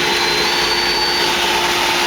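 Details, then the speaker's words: Purex/Pentair Minimax pool heater that would not turn on, after replacing a bad pressure switch: steady even burner roar with smooth gas hiss, no popping or flutter; fired up and getting warm, now working normally. "I can hear the burner and the gas coming on. Fired up. Yeah, it's getting warm."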